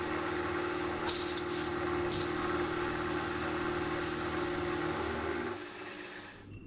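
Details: Mill spindle after repair, cutting at 1 mil depth of cut with a possibly dull cutter: steady cutting hum with fine, even chatter running down smoothly at the end, better than before repair; normal milling cut.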